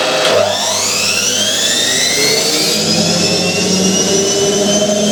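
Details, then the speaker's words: Hotpoint 9530 washing machine with new carbon brushes, test cycle: motor whine climbs steadily in pitch as drum speeds into spin, pulsing attributed to timer contact; normal spin. "see the way the drum gets pulled to one [Music] side don't worry it it pulses like that it's the uh timer [Music] contact"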